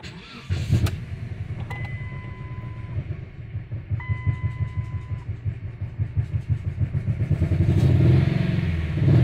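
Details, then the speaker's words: Dodge/Jeep 2.4 engine, replaced engine, ECU and throttle body, faults in cylinders 1 and 2 and ignition coil, oil leaking: catches on cranking, then idles with an uneven stumbling beat and irregular dips; rough misfiring idle, slow throttle response. "marchaso se oye algo muy feo"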